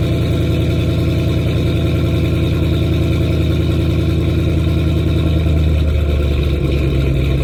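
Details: 2010 Mustang GT: a deep idle with an uneven, loping beat of about three pulses per second that never settles. Rough idle; the owner suspects bad fuel injectors, but this is not confirmed.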